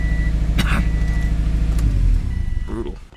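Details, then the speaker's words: Subaru WRX with turbo, cold start after sitting all day: uneven, stumbling idle with a lumpy beat and irregular dips; cylinder 3 misfire detected (P0303), failed cylinder 3 ignition coil pack. "let's just get a quick read on the access port here cylinder 3 missfire detected"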